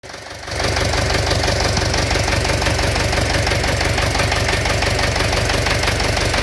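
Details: Engine knock: steady engine roar with a fast, uneven knocking of about three per second running through it; origin unknown.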